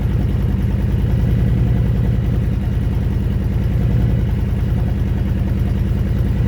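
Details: Honda Fury V-twin motorcycle with 727 miles, sat 7 years on a farm: low loping idle with unevenly spaced pulses; idle not consistent, cause unknown.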